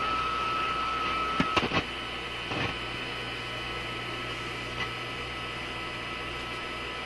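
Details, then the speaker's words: Telefunken Atlanta 101 AM radio with a clip lead connected to the outdoor antenna lead: steady hiss, buzzing hum and crackles, no station; outdoor antenna picks up interference from nearby computer equipment. "Now I have lots of radios. The Simplex, the other radio I'm working on, concurrently with this one. This is what it sounds like when you tune it. Doesn't matter where you tune it. It sounds like that."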